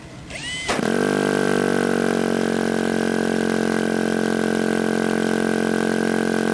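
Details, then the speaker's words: Model airplane glow engine: it catches within a second and holds a smooth, even buzzing idle. Normal idle. "you're going to want a nice quiet idle like that"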